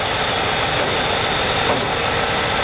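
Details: 1995 Cadillac Eldorado just after water pump and thermostat replacement and coolant refill, air filter and covers off, idling: even, steady idle with no knocks or misses, only a faint fan hiss on top; engine idling normally.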